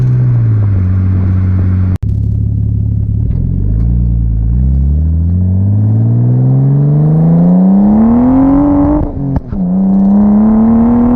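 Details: 1989 Nissan Skyline R32 GTS-t on a test drive after fitting new cheap coil packs, exhaust audible: the note climbs evenly, drops cleanly at a gear change, then pulls on with no stutter; smooth acceleration under boost.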